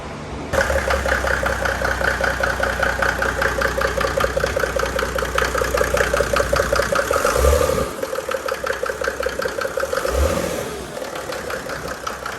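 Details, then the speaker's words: Mercedes W463 G300 with OM606 diesel, just fitted with a Sean Treacy stage 2 ECU; owner had no boost earlier from fuel starvation. Uneven chuffing pulse about 2.5 beats a second with rev blips; a valve suspected not sealing, unconfirmed. "Sounds like the valve is like, doesn't have, it's doing that. It sounds like the valve isn't sealing again."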